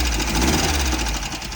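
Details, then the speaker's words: Poorly running 1776cc air-cooled VW Baja Bug engine before repair, ad claimed professionally tuned: fast, uneven ticking clatter over a rough, lumpy idle; valvetrain noise from broken rocker arm, valves way off, needing adjustment. "When we started over there, fucking valves are way off. I need the valves adjusted."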